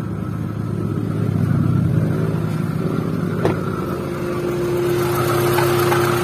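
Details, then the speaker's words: First-generation Honda Brio idling with AC on: rough, gritty drone under the engine and faint steady hum while the compressor turns, gone when AC switched off; damaged AC compressor pulley bearing. "Nah, kedengaran di AC-nya kasar. Ketika nyala AC-nya kasar. Jadi seperti itu. Ketika kompresor AC dia berputar, dia kasarnya."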